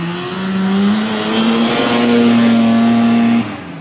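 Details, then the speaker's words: 1981 Ski-Doo Blizzard 5500 two-stroke snowmobile, coil replaced and plugged in, airbox off: clean, steady high scream climbing evenly under full throttle with no stumble; normal full-throttle running. "well well that is 100% fixed folks but we got to get Greg on the drag strip"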